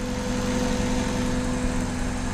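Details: Engine at idle during vacuum gauge testing, reading a steady 19 inHg, within the 17–21 range: smooth, even idle with a steady low hum, no knocks, misses or hunting; healthy warm engine.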